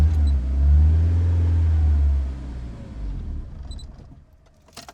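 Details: Project car on a freshly adjusted base map while the fuel pressure regulator is being adjusted, battery going flat: it catches with a heavy low rumble, then sags and dies in seconds; rough running, won't idle, like a bad cold start; cause unconfirmed.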